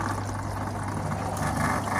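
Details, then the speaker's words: Saturn/Deiant-type washing machine that wouldn't drain, after the drain valve was cleared of money and refitted: steady low drain pump hum under rushing water, no clicking or rattle, strong flow into the bucket; normal draining. "машинка працює напор ловкий біжить наповняється відеречко"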